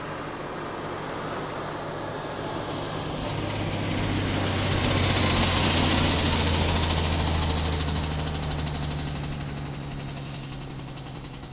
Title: ISM Compression Brake Noise